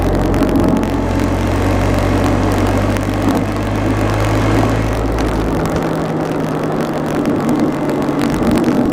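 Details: Engine running with an uneven, lumpy note that settles lower partway through; the rough, stumbling beat points to an engine misfire.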